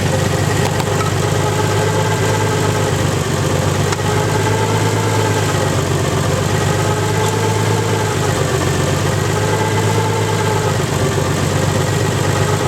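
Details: Nissan 300ZX engine, 190,000 miles, hydrolocked through two cylinders, restarted after purging the cylinders and changing the oil, now idling with no load. Steady, even idle with a light, quick tick and no deep knock underneath: no rod knock, just the cylinder 5 lifter ticking.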